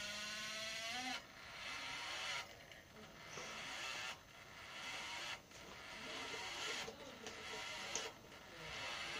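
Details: PlayStation 1 optical drive reading a CD: a brief rising whir, then harsh scraping/grinding bursts about once a second; for a few days the noise has stopped discs from reading and the console freezes.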